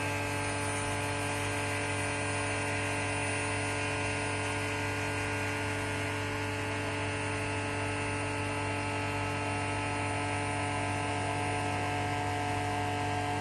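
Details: Vacuum pump with vacuum buffer tank, started after the top plate was fastened and the release valve closed: a steady, even hum of constant pitch with no knocks or surging as vacuum rises quickly, normal running.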